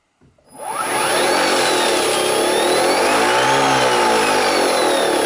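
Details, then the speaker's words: EV conversion with Resolve-EV controller, first spin in drive, battery 64% state of charge, camera placed to hear gearbox: clean whine climbs quickly then holds steady with faint gear tones; motor and gearbox run smoothly. "i put the camera in this awkward position so that you can hear if the gearbox spins"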